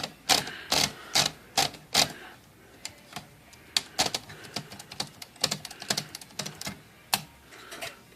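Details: Smith Corona Sterling manual typewriter after platen and index ratchet reassembly: crisp, even keystroke clacks at a steady typing pace with no slipping or dragging from the carriage; the mechanism works properly.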